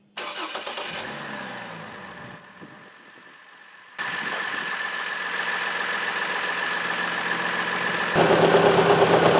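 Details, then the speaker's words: 2003 Trailblazer I6, nearly 200K miles: with the drive belt off, engine starts, idles cleanly and revs with no noise; the terrible front-of-engine noise felt at the valve cover after running a few minutes is gone, so a belt-driven accessory is suspected (water pump possible). "again I don't feel what I was hearing anymore in the valve cover so with the drive belt off I don't have the noise anymore"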